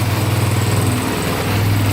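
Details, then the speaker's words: Sport quad, first start: choked start, then choke off; single-cylinder thump idling quickly and evenly with no tapping or misfire, a healthy idle. "Let's see if I can turn the choke off. Sounds really good. Holy cow. Oh, is it gonna idle? There we go."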